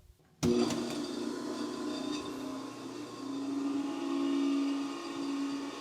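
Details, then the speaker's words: 60 A rotary phase converter powering a rebuilt 80-year-old Cincinnati 3-phase motor: sudden start, then a loud steady hum with a wavering tone that rises and falls; the converter motor is unhappy while the driven motor runs smoothly. "That converter is not happy."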